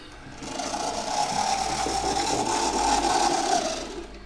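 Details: Second-hand Oxford Rail Class 415 Adams Radial 4-4-2T model locomotive running on Gauge Master controller, before servicing; small motor whine rising and falling with speed over a dry buzzy rattle; motor noise, owner suspects it needs lubricating.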